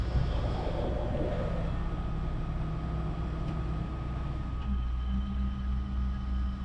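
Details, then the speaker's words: 1979 Lincoln Continental V8 revived after 6 years sitting, new fuel pump and swapped Dura Spark ignition box: steady low rumble holds even through the shift into reverse, no knocks or misses. Normal running. "It's reverse. There we go. Sounds good. Yeah, this is this is very good."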